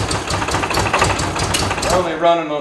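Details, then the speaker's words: 1973 MG Midget parked over 40 years, fuel tank set on the ground: lumpy, irregular misfiring with revs sagging and hunting; owner guesses only one carburetor gets fuel and the other takes time to fill. "carburetor just this one so my guess is that it takes a little while for the fuel to actually filter over to this one and make it actually run that's kind of a drag"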